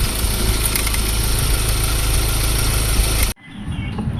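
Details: Ford Ranger diesel idling: loud, rough rattle and hiss from the engine, traced to a worn, binding belt tensioner/idler bearing.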